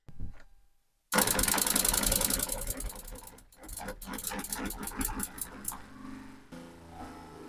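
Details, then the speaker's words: Jabsco fresh water pump with no accumulator, tap opened a little then a lot: harsh uneven clatter and banging, three to four bursts a second, as the pump rapidly cycles on and off; likely harmful to the pump. "so you kind of get the idea of what that sounds like it doesn't sound great and I'm pretty sure it doesn't do the pump any good either"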